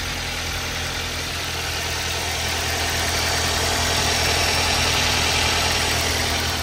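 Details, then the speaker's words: Toyota Avanza engine at cold morning start: steady but slightly rough idle with faint dull "dok" knock about three per second; mechanic attributes it to worn, loose pistons slapping. "Terus berikutnya lagi itu ketika pagi saya hidupkan itu ada suara agak kasar kan, dok gitu. Itu dari piston yang sudah mulai oblak."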